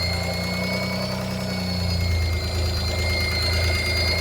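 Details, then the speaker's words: High-pitched whistle over steady idle from an engine that sat 10 years, heard after a timing belt change; clutch pedal had stuck to the floor; owner felt it was rpm-dependent, suspects clutch or a vacuum leak near a cylinder; source unlocated. "Ein hochfrequentes Pfeifen."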